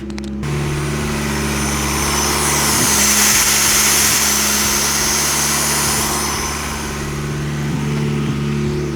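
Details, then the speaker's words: Boosted VW 20V on Speeduino with recycled idle air control valve in on/off mode, engine cold (below 60°C fast-idle cutoff): valve open holds steady, even fast idle around 2000 rpm. "as you can see 2000 RPM just from that valve being open"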